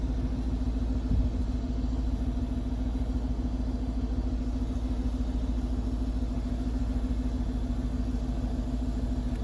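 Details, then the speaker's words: 2006 Mercedes-Benz E55 AMG after reinstalling the left-side fuel pump assembly (gasket, cover and harness) to cure a gasoline leak; hard start since the lines had drained, then smooth idle with an even, healthy pump hum; normal fuel pump operation. "you can definitely hear the pump so it sounds good it sounds amazing actually"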